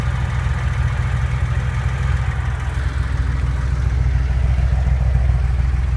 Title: 911 engine knock 2